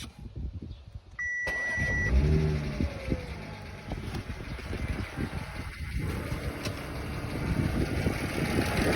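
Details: Audi B8 S4: after a short chime the engine starts and idles with a quick, loud ticking over the running.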